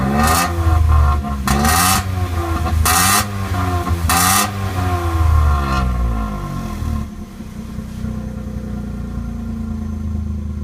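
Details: Vauxhall Corsa B 1.0 petrol engine blipped repeatedly, stumbling with rough bursts as the throttle opens, then settling to idle; misfires on tip-in and randomly cuts out while driving; cause not confirmed.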